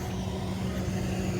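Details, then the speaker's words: New Lennox Humiditrol unit with CORE Bluetooth controller at start-up, after the app was restarted: smooth, steady low hum at one constant tone with no rattle or scrape; inducer motor, apparently variable-speed, running normally before gas stage one. "so it started after I backed out of the app I don't know why it wouldn't take I'm not sure what happened but backed out completely went back in and I've got an inducer"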